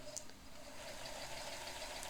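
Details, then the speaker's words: Kenmore 158.15160 oscillating-hook sewing machine running with the lid off on straight stitch, long stitch length: soft, even whir with a faint fine ticking of the mechanism and no knocks or rattles. Normal running. "it's one of the most quiet these Japanese machines uh I mean I've got the lid off and it's big it makes very little noise and it's an oscillating style machine right"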